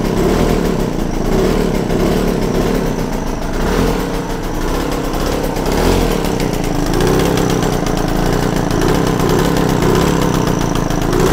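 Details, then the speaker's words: Yamaha TZR 250 3XV two-stroke twin, other spark plug removed, raspy single-cylinder running at raised idle, speed wandering as the mixture screw is turned; roughly set before resetting idle to about 1500 rpm. "I think that'll do just roughly set up now I've got to put the other spark plug back in and just reset the idles um back to more reasonable 1500"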